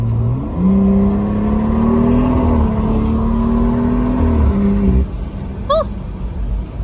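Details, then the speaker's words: BMW B58 turbo, previously in limp mode with codes 123432 and 123437, after electric wastegate actuator fix and two boost leaks fixed: smooth full-throttle climb, clean fast shifts, blow-off valve and boost building audible; normal turbo acceleration. "I can hear my blowoff valve and I can hear the Boost building which I couldn't hear the Boost building before so that's awesome"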